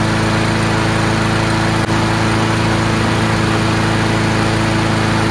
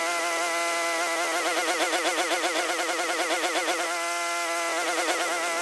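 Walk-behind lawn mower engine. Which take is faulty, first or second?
second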